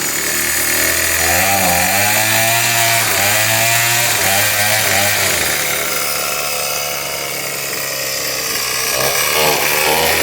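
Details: Small two-stroke engine with a faulty carburetor, run on a hot day: a high-pitched scream pinned at full revs with only brief dips, never dropping to idle. It is stuck at full throttle because of the carburetor.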